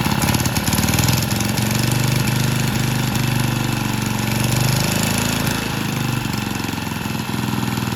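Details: Vintage Lauson-powered jump starter, rope-start single-cylinder left outside long, floods easily, transmission fluid put in and left overnight; owner suspects a sticking valve freed: quick even firing without misses, holding speed cleanly; normal running.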